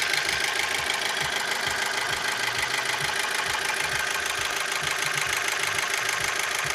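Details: Opel Z16XER engine idling after the timing belt jumped while driving and was reset to the marks; a noise appeared afterwards, a regular knock about two per second plainly heard over the idle; cause not confirmed.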